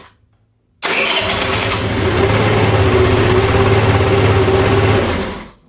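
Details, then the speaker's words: GY6 scooter after replacing the old starter motor with a new cheap one: brisk, fast cranking that catches almost at once and settles into a steady idle. Normal cranking and start; the old starter was the culprit. "that cranked so fast. Okay, that was That's what we That is what we wanted to hear."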